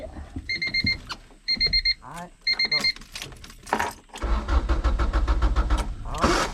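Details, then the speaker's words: Manual Honda Accord no-start after clutch safety switch work, clutch pressed: engine spins over on the starter in steady bursts with key-in chime beeping, never catches; owner still to check fuel pump. "Okay, it ain't cranking up, but hey, it's turning over. It's loud."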